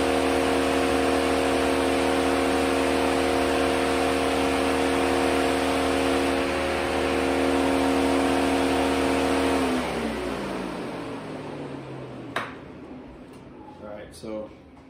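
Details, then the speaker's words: 2007 Mercedes-Benz (2006-07 models known for faulty ECMs): loud steady whooshing electric cooling fan cycles on and off or stays on for no reason, spins down when unplugged; faulty engine control module commanding the fan on. "you can hear the cooling fan coming on away might be able to hear it just comes on and off for no reason just whiz it real loud and shuts off sometimes doesn't shut off at all so that's what we're diagnosing today"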